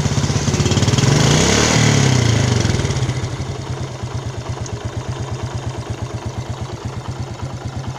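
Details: Yamaha Jupiter Z Robot engine: revs drop from a blip into a choppy, uneven idle of about three beats a second with a harsh rattly edge; rough-running engine being diagnosed, one-way clutch swapped for a Vega ZR part.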